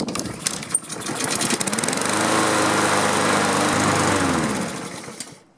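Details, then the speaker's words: Honda-engined Husqvarna self-propelled mower that wouldn't start: fires on the first pull, revs into a steady run, then fades and dies within seconds. "first pull doesn't get any better than that oh now it doesn't want to start aha that's strange"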